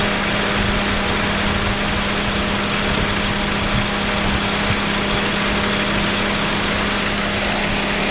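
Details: Mazda 323F at idle: steady idle with a lumpy, uneven undertone and faint shake rather than a smooth hum; rough idle, cause not yet pinned down.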